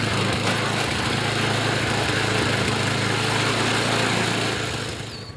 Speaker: I got the idle set I got the high RPM set sounds good it's running well